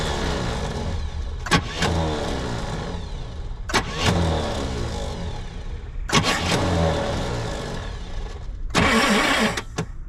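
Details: 1966 Pontiac Grand Prix, 389 CI V8 with automatic, sat for about 30 years; fuel leaking from somewhere, carburetor possibly bad, suspected bad battery connection, spark not yet checked. Four short cranking bursts, but the engine never catches; cranking, no start.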